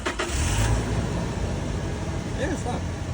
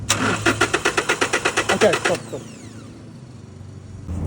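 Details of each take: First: 2018 Toyota Hilux diesel no-start, fuel pump found to have power but a bad ground: starter cranks briefly, then the engine catches and settles into a steady, even idle, starting and running normally. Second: 2018 Toyota Hilux that stalled at a traffic light: about fourteen quick, even starter cranks in two seconds, then silence with no catch; cranks but won't start because the fuel pump isn't getting power through a bad ground.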